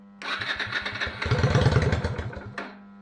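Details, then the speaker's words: 1998 Yamaha XVS 125 Drag Star single, petcock diaphragm bypassed to let gasoline flow: starter churns it over in quick even pulses, about four a second, but it never fires; owner suspects fuel starvation from tank or carburetors. "it looks like it's just starving for fuel yeah it's starving for fuel it's not getting from the tank or from the carburetors"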